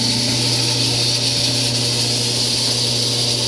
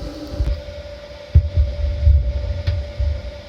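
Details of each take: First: Frigidaire-built Kenmore electric dryer, about ten minutes into a heat cycle: loud hum with high-pitched whine, bearing-like; quiet on air fluff, noise only when hot, traced to the blower wheel. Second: Frigidaire-built Kenmore electric dryer, after repair, running about four to five minutes on high heat as it warms: steady low rumble with a faint even tone and only soft occasional thumps, no loud roar; normal dryer running.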